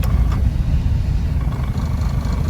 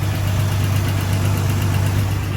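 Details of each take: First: Engine idling in reverse after drive and low: a low, lumpy, uneven throb, far rougher than it normally idles. It is fine in neutral, and the cause is not pinned down. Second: Old straight-six idling in neutral: steady, even low rumble with no misses or knocks, smooth; owner notes it idles smooth briefly in drive and then goes rough.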